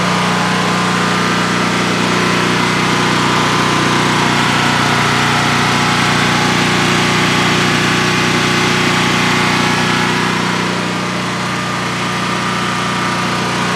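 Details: DuroMax XP15000HX generator newly set up in a shed, on its second start, running on propane with the exhaust fan off: a smooth, constant hum at steady speed with no knocks, misses or surging over a 5-minute run. Normal idle, no issues.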